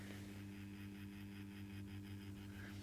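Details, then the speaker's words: New Accurascale Class 31 model locomotive, not yet run in, running forwards: a steady, even buzz like a hive of bees, possibly the fan motor; quieter in reverse. "sounds like there's a a hive of bees living inside it but the way it looks is great and it seems a bit smoother in Reverse actually yeah it's noisy in in forwards"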